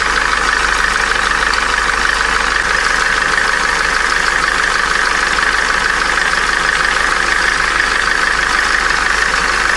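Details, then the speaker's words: Opel Corsa D, A14XER 1.4 petrol, 65,000 km, codes P0011/P0014, cold idle: constant high thin whistle over an even idle without pulsing; auxiliary belt tensioner pulley bearing worn, needs replacing. "на холодную свистит подшипник ролика натяжителя его надо менять"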